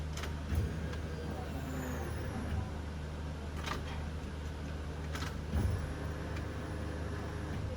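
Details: Car after fuel line work, at key-on before starting: a steady low electric hum with a few light clicks; the fuel pump is priming normally, no leaks.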